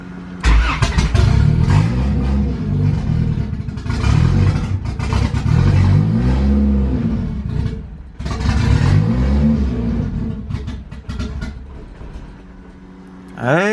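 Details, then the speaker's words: Honda Civic B20 VTEC with newly installed turbo kit, chipped P75 ECU on basic start-up map (ran fine before the kit): fires and revs in repeated bursts then sags and dies; starts but won't idle, cause unknown. "starts it's running it starts it starts but it doesn't want to idle so let me race the idle a little bit on the front"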